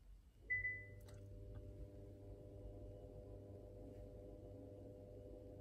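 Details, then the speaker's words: Electric parking brake, rear right caliper-type actuator commanded to release by scan tool with ignition on, for rear brake pad replacement: short beep, then quiet steady electric whir at even pitch; actuator releasing normally. "so I can hear the uh actuator on rear right already operated so ready for uh pushing back the piston and uh replacing the brake pads"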